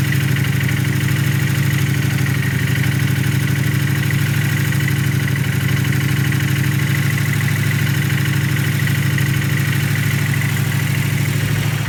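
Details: Fresh-built engine at steady idle with a faint repeating tick-knock over the low hum, roughly three per second; knock source unclear.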